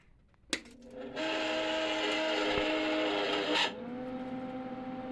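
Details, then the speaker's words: Neglected 30-year-old Lincoln Weld Pak 100 MIG welder, plugged in with trigger pulled: steady, even wire-feed drive motor whine and a whooshing rear fan blowing out built-up junk, cutting off cleanly on release; motor and fan work fine. "It's blowing out nice air. I've never seen this before. And yeah, seems to be working good."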